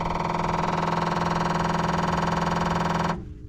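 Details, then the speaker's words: 1988 Chevy C2500 6.2 diesel fuel pump, jumped directly from a 20 V battery: a fast, even buzzing chatter that stops abruptly; the pump clicks on direct power but may not be getting power from the truck, fuse or broken wire suspected. "but uh with how loud that thing was she she wasn't kicking on so let's see what happens"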